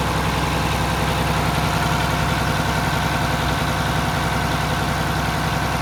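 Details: Mack Superliner diesel truck just reassembled after engine repair: even, steady diesel idle with a regular clatter, no skips, knocks or tapping. It runs healthy. It formerly blew white smoke (fuel pump suspected) and showed black smoke on this start.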